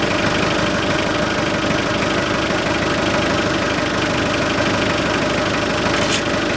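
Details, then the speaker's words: 2006 Hyundai Porter 2.5 turbodiesel, manual, RWD, 170,000 km, idling then revved: harsh hollow growl over diesel clatter, louder with throttle, like a blown exhaust; lost rubber valve in air filter housing lets unfiltered air into intake. "тихенько вот такой звук появляется а если добавить газа звук немножко увеличивается"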